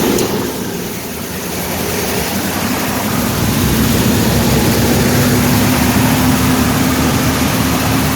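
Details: 1982 Pontiac Firebird started after 22 years sitting, following a carb rebuild, oil service, new plugs and wires, new mechanical fuel pump and filter, and vacuum leak repairs. It catches and settles to a smooth steady idle with a slight rising whine; normal.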